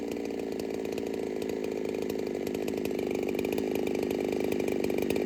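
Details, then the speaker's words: Ported Holtzfforma 395 chainsaw, 165 psi compression, rings possibly not yet seated, first test session: high, steady buzz with even crackle through the cut, never bogs; quiet with a muffler hiss, owner suspects muffler is restrictive. Normal running under cut. "It is a very quiet saw. It's not very loud at all. And it has this hiss to the muffler, I guess you could say."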